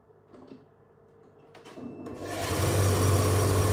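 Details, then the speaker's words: Dryer spinning up into a steady low droning rumble with a rough edge; worn drum bearings are audible and still need fixing. "I mean, it's not that bad. I mean, I do have to fix it still, but... Okay. Also, you can hear the bearings, obviously."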